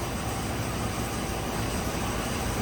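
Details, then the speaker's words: 2004 Dodge Ram 1500 4.7 V8 idling just after startup, still in open loop, after a new lifter was installed and the rocker arm refitted: a smooth low hum with no top-end ticking; healthy valvetrain, normal idle. "i'm going to go into data and i'm going to start it up nice and quiet it's an open loop still"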